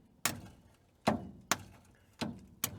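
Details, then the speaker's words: Old scrap-yard truck after sitting a long time, starter fed 24 volts from two 8D batteries: five heavy clunks half a second apart with no cranking; starter engaging but engine seemingly stuck, possibly from sitting. "interesting that's not what I wanted to see I can hear the the starter is trying but it seems like the engine is stuck now just from sitting this long"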